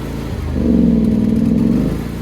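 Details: John Deere X340 riding mower after carburetor rebuild, tank clean, new fuel pump, ECM, plugs and fuel filter: engine surges and sags at low idle, held running only with choke; intermittent stalling after a few minutes, cause unknown.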